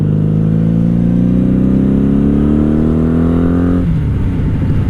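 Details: 1997 Honda Magna VF750C V4, previously wrecked, 43,405 miles, Vance & Hines pipes, riding under acceleration. The engine note rises steadily as it pulls, then drops cleanly at the gear change. Runs strong and even.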